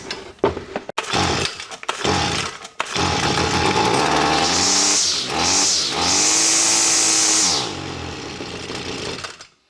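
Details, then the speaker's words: Stihl FS45C trimmer unused about 5–6 years, fire and compression good, primed with two-cycle fuel: several pulls, catches and revs high about three seconds then sags and dies once primer burns off; won't pull fuel, carburetor fault. "and run burn that prime up and then it'll die it won't it won't pull fuel on its own"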